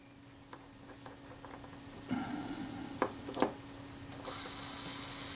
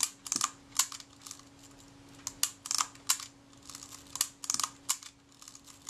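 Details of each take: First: Kodak Retina IIIC shutter during servicing, cleaned and lubricated with graphite, self-timer just reinstalled. Handling clicks, then a steady high-pitched whir of about a second as the timer runs down evenly. Normal self-timer run. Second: Kodak Retina IIIC camera, shutter release tested after reassembly: a crisp extra click lands just before the shutter fires each time. The film advance is released too early because the screw atop the film release shaft is too high.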